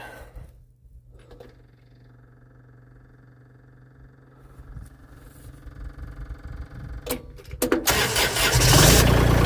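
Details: Mini skid steer diesel after reassembly with a new ignition switch: quiet preheat, then cranking builds and it catches and settles into a steady, even run; starts and runs fine.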